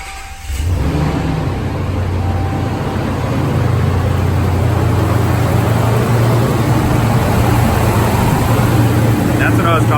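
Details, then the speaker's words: RAM 1500 5.7L HEMI returned to stock (Procharger removed, stock injectors and MAP sensor, retuned), started up: catches within a second into a strong even roar with mechanical fan whoosh, no knocks or misses. "if you want to hear the roar of a stock engine now that she's back stock"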